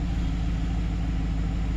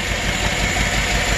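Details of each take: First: 2008 Silverado 5.3 V8 after collapsed AFM lifter replacement for a cylinder 4 misfire: deep, steady, even idle with no ticking or surging; smooth and healthy, misfire gone. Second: Chevrolet Silverado 5.3 V8 with DOD/AFM, low compression on one cylinder: rough idle with an uneven low thump through steady clatter; the cylinder 3 intake rocker doesn't move at all, a collapsed AFM intake lifter causing the misfire.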